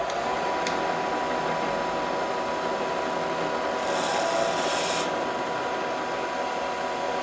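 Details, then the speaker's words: Drill press reaming a hole in a mini oscillating steam engine casting with a worn reamer: steady hum with brief hissy, buzzing chatter when feed pressure is too light; feed fast and don't stop the spindle while retracting. "now you hear it start to chatter when you're not pushing on it so I like to feed these guys fast run them all the way through and don't shut the tool off when you're retracting the reamer"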